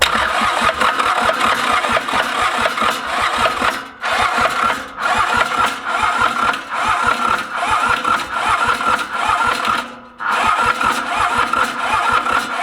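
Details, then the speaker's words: Mitsubishi K3D diesel in Ransomes Bobcat mower, unstarted 9 years: long cranking runs with pauses, uneven catching, never settling; owner theorizes overfueling causing profuse black smoke; hard starting. "we are gonna shut the fuel pump off hit the fuel shutoff and just crank this thing over my theory is that which is why I'm getting this crazy profuse amount of black smoke"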